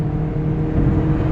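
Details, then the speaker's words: 1992 Toyota Corolla DX automatic, 26 years old: engine holds a high, steady drone with no rev drop, stuck in a low gear; earlier it upshifted harshly when the gas was released, but now it isn't upshifting at all. "but the transmission unfortunately is having an issue. So what's happening right now, the revs are incredibly high, and if I let go of the gas, it will shift very harshly."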